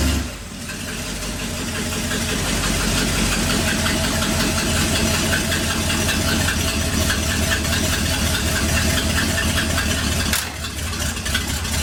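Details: 1959 Ford F100 special delivery panel truck V8 just after start-up, idle turned down from about 1,400 rpm with vacuum advance fully advanced: lumpy, uneven idle with irregular stumbles.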